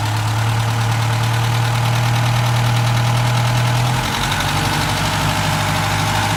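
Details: Opel Rekord P1 long-version engine at even idle: quick rattling clack roughly three per second above low rumble; cause unclear.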